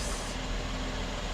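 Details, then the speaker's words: Mercedes W212/S212 E-class or CLS (2010–2014) after replacing leaking rear air springs with Arnott bags, car lowered so the system self-levels: an even, steady low hum with no surging or hissing as the air suspension compressor pumps normally and raises it back to level. "Now, if nothing else is broken, it's pumping, I can hear it. It's coming up, it's almost at the level."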